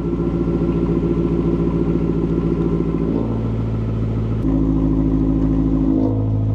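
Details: 2008 BMW E92 M3 V8, first start after installing a new Turner valved stainless exhaust, run briefly pending a new coolant line: deep even burble with clean rev blips rising and falling, no knocks or rattles; healthy.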